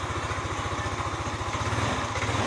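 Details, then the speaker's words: Yamaha NMAX 155 (old model) with error code 61, idle speed control (ISC) fault: fast thumping idle that wavers and never settles, kept alive only on held throttle and dying when throttle is released. "dan untuk hidupnya itu selalu ditahan gas ketika diturunkan gasnya e kita lepas gasnya seperti ini nah motor akan mati"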